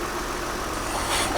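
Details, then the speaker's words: Mercedes SLK350 with about 215,000 miles, started after radiator/condenser replacement: smooth even idle, steady pitch, no ticking or misfire, slight level swell; runs cleanly, though smoke followed and owner fears air in the system or a head gasket. "let's see what the engine's doing she sounds great doesn't she i mean she really does for 200 and what did it say 15 000 miles"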